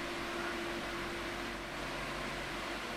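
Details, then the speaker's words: 2002 Midea 16-inch oscillating pedestal fan with mesh grilles, before restoration, on medium speed: steady rush of air with a faint low hum, no rattle or ticking; moves a fair amount of air, running smoothly. "I think it's moving enough air to a point where I would say it's it's in the realm of powerful but I expected a little bit more from it"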